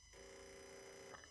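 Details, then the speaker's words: Renault Clio 4 0.9 TCe, engine off with ignition on, turbo boost control solenoid activated by scan-tool bidirectional test: a steady high-pitched buzz for about a second with a felt vibration, probably around 40% duty cycle at 4.5 volts, responding normally. "and you can hear that noise you'll feel a vibration here"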